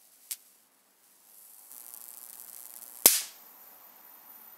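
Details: Homemade high-voltage capacitor breakdown test with polyethylene dielectric between test plates on homemade HV supply: quiet faint buzz, then one sharp loud crack as the insulation fails and arcs through.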